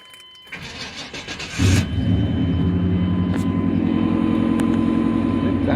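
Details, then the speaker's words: 1994 Chevy Silverado with new exhaust, not many miles, just brought home: engine cranks briefly, catches and settles into a steady, even idle with no knocks or misses; good oil pressure, not charging because the fan belt is missing. Normal start and idle. "It sounds good, you know. Got new exhaust on it. Not bad."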